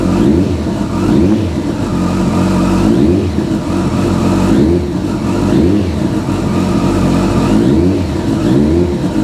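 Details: Kawasaki ZZR1400, 26,399 miles: smooth even four-cylinder note rising and falling with throttle, no knocks, rattles or misses, clean strong revs; normal running and revving.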